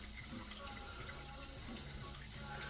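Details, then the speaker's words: GE Profile dishwasher that filled but didn't wash, after pump and wash motor assembly replacement, starting a cycle: a steady, uninterrupted hiss of water filling the tub with no pump hum or clatter. Normal fill. "and we are filling with water and if our job was a success then as soon as this is full of water it should start to go through the wash cycle"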